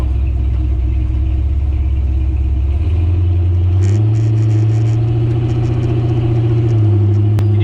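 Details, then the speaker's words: 1968 Chevy C20 with 454 big block and 4L80E, first drive after years in a barn, heard inside cab at about 30% throttle: deep steady booming hum rising as V8 pulls; exhaust drone from pipe ending under cab. "i would really like to get the exhaust out past the back of the cab the drone in here is terrible unreal"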